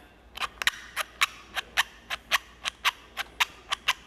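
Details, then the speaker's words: MTM SGS28 pressure washer wand quick-connect pressed by hand: run of sharp, gritty clicks about two a second, action rough and grindy, expected to loosen up with use. "sounds a little grindy but again i don't think it matters over time it's probably just going to loosen up and get perfect as well"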